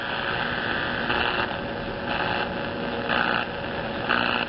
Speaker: There's not going to be much if anything on short wave this time of day, especially with no more of an antenna than we have on it. There's something trying to come in, but it's not really happening.